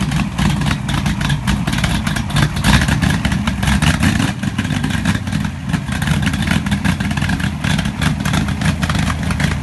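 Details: Pontiac 400 V8 in a T37 after a valve readjustment, primed after running out of fuel: strong rumble with quick throttle blips that rise and settle cleanly, no ticking or misfire; rings not yet seated, so some smoke is expected.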